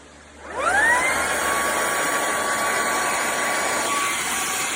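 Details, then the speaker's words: Bissell ICONPet Turbo cordless stick vacuum, fully charged, canister emptied, rear filter checked: motor spins up to steady high whine, runs a few seconds, then pitch sags as it cuts out; intermittent cut-out, cause not confirmed. "And it just goes off. And on again. And it won't go on. And on. And then it just goes off."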